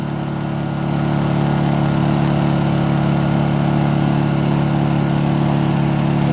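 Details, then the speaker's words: Honda generator just started, running rough then choke eased off, economy throttle switched off: constant steady hum that firms up and holds even pitch as it revs to full speed; running normally. "Now if we take the economy throttle off, you'll hear it rev"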